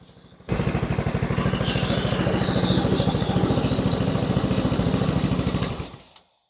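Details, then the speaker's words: 2006 Zhejiang Kandi 250cc kart, after correcting a cam thought to be retarded one tooth: steady, even single-cylinder thumping idle until shut off. Running well, much better than before the fix. "I think it's running good. I think we did have the cam retarded one too. It's running way better than it did."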